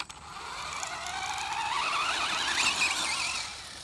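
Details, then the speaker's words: Traxxas Slash 2WD RC truck, wheels spun by hand: light uneven clicking under a rising squeal, with resistance in the drivetrain. The owner suspects the back of the wheel hex is rubbing something, unconfirmed. "something is clicking for sure i don't know what it is i think it's the back part of the wheel hex must be rubbing up against something"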